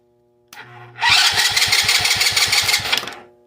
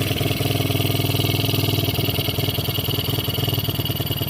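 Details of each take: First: 110cc kids' quad revived after 2+ years outside, wiring harness removed, cranked with a jump pack: strong even cranking about six beats a second for two seconds, no drag; cranks healthily. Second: 110cc kids quad revived after 2+ years sitting outside, carb cleaned but leaking: low even thumping idle near two beats a second that never climbs; won't rev, owner suspects the throttle stop screw, to be backed out.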